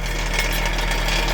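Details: Honda CR-V idling: a loud, rapid metallic rattle from under the car, coming from the broken catalytic converter and its loose heat shield, with broken chunks inside.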